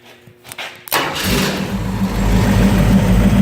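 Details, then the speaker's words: 1951 Willys Wagon with AMC 401 V8, Flowmaster exhaust, temporary ignition setup: cranks briefly, fires at once into strong even burble with no misses; normal start-up. "so runs pretty good nice sound with these flowmasters on it"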